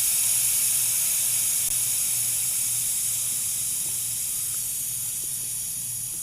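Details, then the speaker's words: New evaporator coil for a York gas package air conditioner, opened at the TXV connection: a loud, steady hiss of the factory dry-nitrogen charge that tapers off over about six seconds. This confirms the new coil held pressure with no leak. "They're shipped with dry nitrogen, which is great. Means there's not a leak in this new coil."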